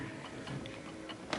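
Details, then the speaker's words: 1930s Garrard Art Deco oak mantel clock with an 8-day pendulum movement and gong strike: uneven ticking, not a steady tick-tock, as the pendulum is out of beat after adjusting the stem; the clock then stops. "It's just a little bit. It's not tick- tocking. It's ticking more than talking."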